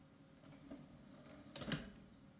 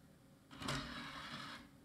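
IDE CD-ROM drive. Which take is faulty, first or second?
second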